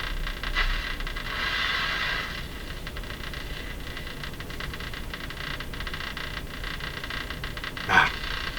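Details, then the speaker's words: Sony TR-712 transistor radio on bench power supply, just after replacing all seven electrolytic capacitors: hiss and crackle with faint swelling snatches of signal, no clear station; receives poorly, owner suspects shop location or needs alignment. "well the good news is it radio's working it's just not receiving well again in my shop maybe that's the reason or um or it may need some alignment work done to it also"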